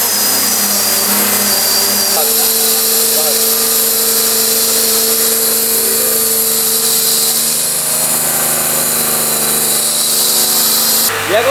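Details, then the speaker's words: Stock-turbo engine (paired with 8HP gearbox) for Mazda RX-7 FD swap, test-run with very long exhaust: steady hollow vacuum-cleaner whirr over high hiss, no knocks or misses; healthy idle. "It does sounds like a Hoover, but it's because of the longest exhaust."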